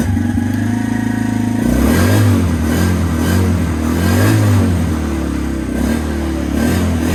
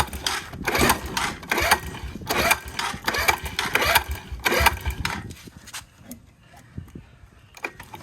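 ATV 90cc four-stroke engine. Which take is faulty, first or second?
second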